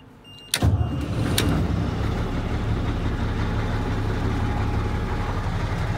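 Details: 1980 Chevy Bison truck, old 1674 diesel with glow plugs: cranks and catches abruptly, then rough deep idle with clattering cackle right after start; said to cackle really bad when starting, cause unknown.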